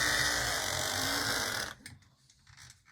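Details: Life-Like or Athearn model locomotive with open-frame motor, on a straight DC transformer instead of PWM, needing lubrication: steady, even high motor whine with no catches or surging, then coasts to a stop; runs well.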